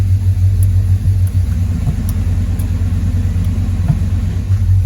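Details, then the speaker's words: LS-swapped (6.0 LS tagged) Chevy Monte Carlo at a deep, steady idle as it is put into gear, no knocks or misses; shifting and running fine. "She going into gear, everything copacetic."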